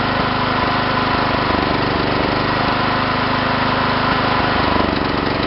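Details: John Deere tractor engine running rough: the idle beat is uneven, with irregular stumbles and lumpy pulses rather than a steady rhythm.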